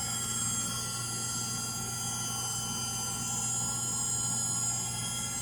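High-speed spin with a steady hum, a high whine and a rough roar throughout; the washer's motor bearings are worn.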